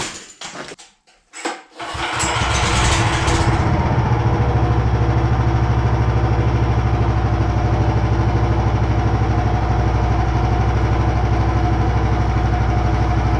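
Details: Homebuilt machine's engine after the poly-V belt pulleys were aligned and the motor moved about 5 mm back: cranks, catches and settles into a steady, even idle around three beats a second with a faint belt hum; runs fine.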